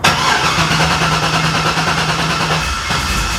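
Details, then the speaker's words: 2009 Corvette C6 convertible V8, one owner, low mileage, after fitting the fuel pump and priming the fuel line; short crank catches at once and settles into steady even idle, quiet with no lifter noise; clean healthy start. "oh man that motor is [Music] nice and quiet no lift noise no run"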